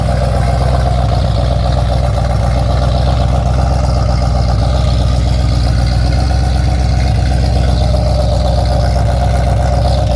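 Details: Ford XC GXL under restoration with a 351 V8, still cold and not warmed up: a deep, even V8 rumble with a steady beat and no knocks or misses. A normal, smooth idle.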